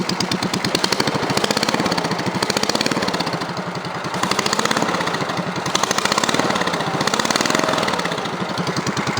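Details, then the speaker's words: Cub Cadet 3050 4WD tractor with a homemade on-the-fly muffler: harsh, raspy popping exhaust, fine at idle but louder and worse with each throttle blip, sounding almost unmuffled; owner plans another way to quieten it. "See, it just sounds like it ain't hardly got no muffler at all. It even sounds worse when I rev it up."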